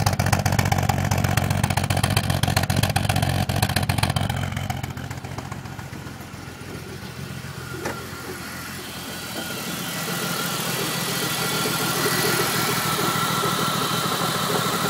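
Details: 2002 BMW 330Ci E46 petrol six in initial cold startup: uneven, pulsing, stumbling idle with misfires; owner suspects the fuel pump and its low sound, not confirmed.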